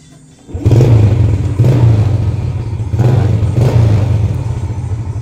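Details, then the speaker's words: Yamaha Jupiter Z after a fix for popping/coughing when closing the throttle, made with a scrap zinc sheet plus a good spark plug. It was kick-started after the starter failed. An even deep exhaust thump with no popping; the exhaust note is no longer split "stereo". "sudah berbeda ini jadi nalpnya nya itu enggak seperti stereo ya Tadinya kan seperti stereo karena bercabang"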